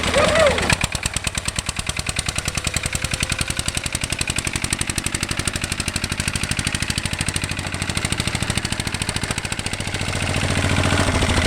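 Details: 1966 Lister LD1 single-cylinder diesel on restored auto truck, completely rebuilt, just cold-started on a freezing day: even, steady thumping holding a constant pace, no misses or knocks; sound, healthy engine.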